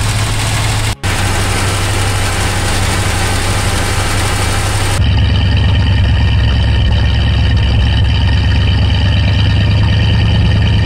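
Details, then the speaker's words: 1973 Ford F100 V8, carburetted, first start-up after project work, cold: deep, steady rumble at a high, even warm-up idle with no misses or knocks; healthy. "this is what excitement and success and hard work sounds like"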